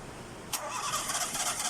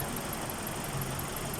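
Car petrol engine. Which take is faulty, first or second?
first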